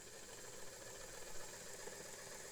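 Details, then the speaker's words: Vintage Singer sewing machine (99K-type) after new motor belt install, running with needle engaged on long stitch, motor driving whole drive shaft: soft even whirr with faint high whine, no slapping or knocking; much better, quiet and smooth. "And let's see here. Oh, that's that's much better. That's so nice and quiet."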